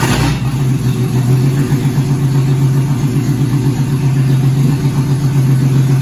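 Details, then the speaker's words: 2004 Ford BA Falcon XR6, being built as a street stock, first start after 3 years unrun and 6 years stored in a shed; oil, water and fuel checked. Steady low drone with even firing, no knocks or misses; runs normally. "so I'll get the old boy to see she'll fire up for the first time in 3 years"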